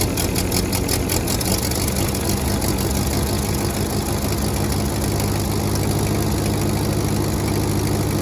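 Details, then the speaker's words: Ford 8N tractor after replacing the exhaust manifold gasket, test run: steady, even low rumble with no sharp cracking puffs from the manifold; runs smooth and healthy, good oil pressure even at temperature. "Well, I took him for a test run, and it sounds a lot better. None of that crack, crack, crack, crack."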